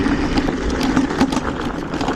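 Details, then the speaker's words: iScooter IX4 electric scooter (48V 800W, 10-inch wheels) ridden at about 45 km/h on rough ground: sharp, irregular clacks about every third of a second over rolling and wind noise. Unpleasant noise; source unconfirmed. "Ah c'est vraiment ce bruit là, c'est désagréable."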